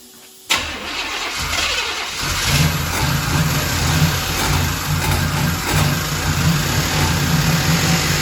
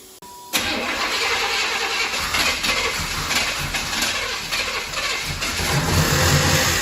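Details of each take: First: Ex-police 1992 Chevrolet Camaro B4C 1LE V8: catches and settles into a fast idle with an uneven puffing tick on the exhaust note, then shuts off; suspected exhaust donut leak. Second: Ex-police 1992 Chevrolet Camaro B4C 1LE V8, not run under own power in 10 years, after fuel injector refit: starter cranks briefly, V8 catches and settles into a steady even idle with no stumble; starts and runs normally.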